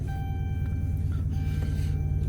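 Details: Hemi-powered car that would not start, running after two blown fuses (one for the ABS module, fuse 36) were replaced: deep, even low rumble holding steady, no stumbling or knocking, faint high tone over it; engine running normally.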